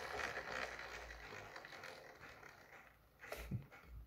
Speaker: At first I just tried spinning it around manually. My gears started breaking already. And even grind.